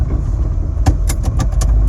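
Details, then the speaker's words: 1934 Ford 3-window coupe hot rod, SBC 383, Turbo 350, Ford 9-inch rear with 3.73 gears, heard in-car while backing up: five or six sharp irregular crunching clicks over low rumble; suspected loose rear differential, oil full, only in reverse. "That's the differential. That sounds loose. Does that sound loose? Yeah."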